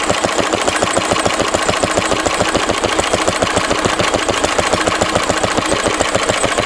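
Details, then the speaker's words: A 1942 Lister D-Type stationary engine, 12 spec 12 DH, 80 years old, cleaned out after standing a long time. Slow, steady single-cylinder chuff at about three and a half beats a second, even and unchanging; healthy engine. "let's listen to the list of d running 80 years old still doing well and hopefully we'll go on and do another 80 years"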